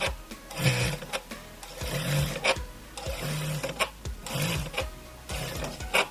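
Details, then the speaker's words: Electronic straight-stitch industrial sewing machine (reta eletrônica): each time it stops, a rough grinding growl starts soft and builds loud as the needle halts, repeating each cycle; the machine cannot find its needle-stop position. "cliente ligou e falou que o momento que dá para de agulha né momento que para a máquina tem um barulho muito esquisito e o barulho é decrescente tá começa devagar e logo vai vai captando muito forte no que vai parar"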